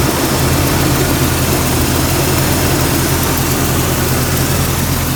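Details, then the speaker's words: 1999 Jeep Cherokee XJ 4.0 inline six, before the tune-up on 60,000-mile spark plugs, slightly below operating temperature: a steady, even low rumble at about 800–825 rpm with no knocks, misses or ticks. Normal idle. "Idling at about 800, I guess, RPMs. 825, something like that. So let's listen to the engine."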